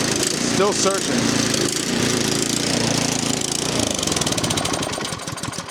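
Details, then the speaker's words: 13-year-old MTD snow blower with Powermore 208cc engine, leaking oil and gas, carburetor replaced last year, started on full choke at half throttle: runs rough, speed hunting instead of settling, then dies. Cause not yet known. "So, she's running, but I have no idea. She's still searching."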